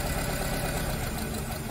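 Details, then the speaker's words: Nissan Tiida/Versa misfiring with no fault code: with injector two disabled via scan tool, the idle sags, rpm drops and fluctuates as if about to stall, showing cylinder two works; cylinder four turns out dead. "let's do the same thing for cylinder number two and there Cylinder number two start same thing is trying to stop the engine engine rpm drops and it starts fluctuating uh so it means that number two is working as well"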